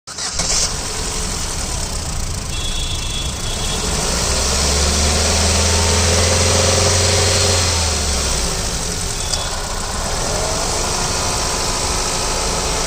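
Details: 2010 Ford Fiesta, DL4C engine: it idles, then revs up and settles back with a faint steady tapping about three to four times a second; abnormal engine noise, cause unclear.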